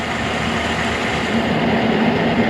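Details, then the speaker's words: K&T mill first cuts on mild steel with a resharpened endmill, power feed on, light cut, cold morning in the 20s, head not trammed: steady even cutter rumble, no chatter, squeal or knocking; normal milling cut. "no problem man I can barely even hear it I haven't trammed this head or anything just assuming it was fairly close"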